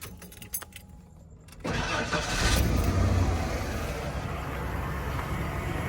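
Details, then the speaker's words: Non-running 1996 Ford F-150, inline-six, 2WD, after the fix (the fault was a switch) and battery reconnected: keys jingle, the engine catches at once and settles into a steady, even low idle with the fuel pump working. "Truck is now running. Fuel pump is doing good. Can't believe it was just a switch."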